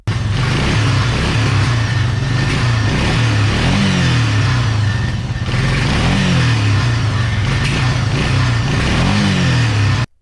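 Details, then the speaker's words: 2000-ish Suzuki LTF500F Quadrunner 500 single, after capping the carburetor vacuum port feeding the faulty vacuum petcock, cured of backfiring and not revving: steady even running with clean, smooth throttle blips, no popping or stumbling. "you can hear the quad is running way better now so let's take it for a test drive"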